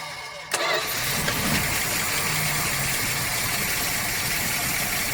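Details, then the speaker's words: Barn-find 1976 Dodge Dart, stored since 1997: short crank, fires with a bang, loud uneven idle fed only by gas poured into the carburetor; old starter must wind down. "I guess I should pour it in while it's running. You got to let the starter wind down."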